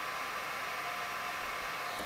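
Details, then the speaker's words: Mean Well SE-450-24V power supply with original loud fan replaced by smaller 12 V 180 mA fan; steady airy hiss, no knocks or rubbing, still loud and windy: loud fan airflow noise. "i must say this is loud as well but not as long and it's actually quite windy huh"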